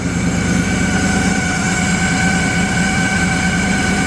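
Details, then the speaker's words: LS-swapped Oldsmobile Cutlass with a standalone swap harness and GM computer, just started with a second battery after a drained battery: steady idle with a thin, constant high squeal of belt noise; cause not determined. "yeah that second battery is definitely helping we got a little bit of belt noise"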